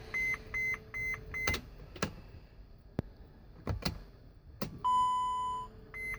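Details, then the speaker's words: 2011 Mercedes Sprinter diesel, intermittent no-start: key turned while glow plug light stays off and DEF light blinks; short repeated chimes and a few relay clicks, engine never turns over; no-crank fault, battery connections checked good. "the diesel exhaust fluid light is blinking no start this can happen this can go on for 20 30 minutes and then all of a sudden the glow plug light will come on and it will start"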